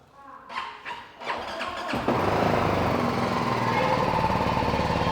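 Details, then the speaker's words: BMW 310 GS that wouldn't start from suspected dead battery, jump-started from another battery: a few slow starter cranks, then the engine catches and settles into a steady, even run; starts normally. "Start हो गई भाई।"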